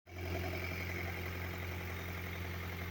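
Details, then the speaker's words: 2000 Honda CR-V RD1, B20Z2 engine, at idle: faint, regular mid-tone tapping in time with the engine; knock at idle, cause not pinned down, contract replacement engine ordered. "cr-v rd1 2000 год появилось услугу двигателя на холостых"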